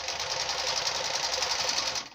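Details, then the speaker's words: Чайка sewing machine stitching through thick 5–6 mm material wrapped in fabric: fast, even stitching rattle with no motor hum, growl or bogging, needs no pushing, stops cleanly; running normally. "и ничего не надо подталкивать Все Все нормально Ничего нигде не гудит"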